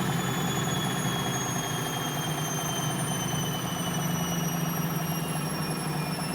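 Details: Bosch WFL246SGB/01 washing machine on an Easy Care 40° test wash, high-speed spin: smooth, steady whoosh with a gently falling high whine, no rumble or grinding; bearings sound fine.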